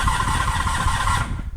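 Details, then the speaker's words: 1985 Honda VF700F Interceptor V4 that hasn't run in at least 5 years: starter spins the engine evenly, seeming to have compression, but no firing pulses catch. Cranks but won't start, cause not yet diagnosed. "cranks over feels like it has sounds like it has compression um so that that's good"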